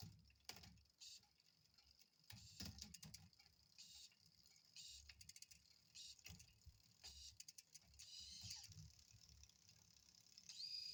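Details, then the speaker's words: L-Twoo Ae wireless-to-cable rear shifter, set up on a 9-speed cassette, run through the gears at the end of setup: short, sharp whirring buzzes and clicks with each gear change over a quiet background; servo working properly. "So here I am now at the end. I'll just run through the gears, and it does work, and it's working quite well."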